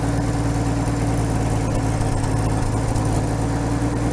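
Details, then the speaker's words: 1950 Chevy that sat outside for 21 years, running on its own fuel pump fed from a gas can, with one unclamped fuel line. It holds a smooth, even low idle with a steady hum, no misses or ticks, and is purring. "but look at that oh my god look at this thing it's just purring"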